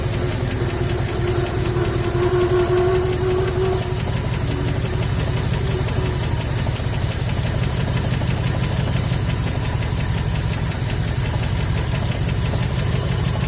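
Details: 1974 Ford F100 V8 revived after 21 years parked: low, lumpy idle with uneven pulsing beat and no steady rhythm; rough idle, owner fixed two vacuum leaks but one remains, suspected cause.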